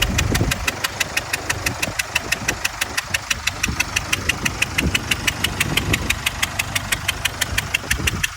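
Sharp, even ticking knock about three times a second rides over the diesel's idle; a clear internal engine knock, cause still unknown.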